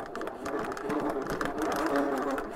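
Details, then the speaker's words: MokWheel Mesa ST Plus fat-tire e-bike climbing a roughly 10% incline on full throttle in gear one: harsh buzzing whir with uneven rattly pulses; motor noisy and lacking power under load. "that motor is just too noisy the power's not enough"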